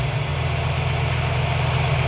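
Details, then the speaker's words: Engine idling before a GlowShift vacuum gauge install, vacuum line not yet pulled: even, low rumbling idle holding a constant speed with no misses, knocks or hiss. This is the normal baseline sound for comparison. "So you want to listen to the way your engine sounds right now and find the vacuum line that you think will be the right one."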